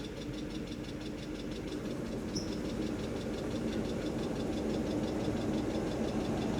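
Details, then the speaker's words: 1997 Mercedes S500 Coupe (W140) after Blue Devil head gasket treatment and overheating, heater on high, coolant temp near 100°C: airy rushing hum swelling over engine drone as long-unused heater blower motor kicks on and runs normally; temperature then drops. "Oh, that was the fan that kicked on. That hasn't been on in a long time. Like the blower motor."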